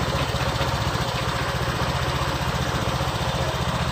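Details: Honda Vario 125 LED scooter running with the ignition switch bypassed during diagnosis of a total electrical failure: low, even putter with evenly spaced firing pulses and no misses or knocks; idles cleanly.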